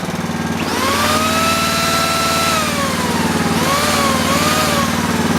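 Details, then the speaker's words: Universal 2500 W generator with points ignition, restarted after sitting 5 years, points filed clean, running with a drill load; steady even drone with smooth governor sag and recovery, normal running. "Go ahead and fire it up. That's how it should be running."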